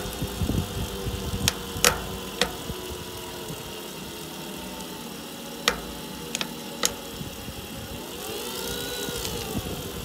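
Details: Tongsheng TSDZ2 e-bike mid-drive motor: steady whine with sharp, irregular creaking cracks; gears cleaned and re-greased without change; axle play letting the main gear hit the motor housing suspected, not yet repaired.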